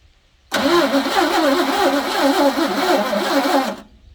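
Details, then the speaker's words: 1984 Ford F150 5.8L 351 HO, first crank in 20+ years after timing chain replacement: about three seconds of lazy, uneven cranking near four pulses a second; starter underpowered, ground cable found very hot. "One thing I did notice when we were cranking is that it really sounded like it wasn't getting all that much power to the starter, or maybe the starter was worn."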